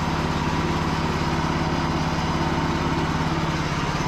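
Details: Cub Cadet riding mower small single-cylinder engine after charging system repair: steady, even buzz with a constant rapid beat and no surging or missing; running properly.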